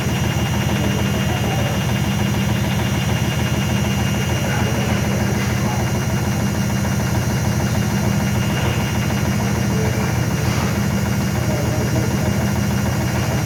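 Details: IFB washing machine making very loud noise during spin cycle: loud steady low rumble with heavy even vibration throughout, far noisier than normal; cause not evident.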